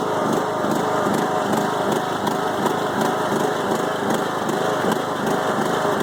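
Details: 5-year-old Craftsman mower with Briggs & Stratton Intek 20HP twin, head gasket replaced after hydrolock; idle chugs unevenly, lumpy and stumbling, bogs while mowing; no longer smokes; rough idle, cause unclear.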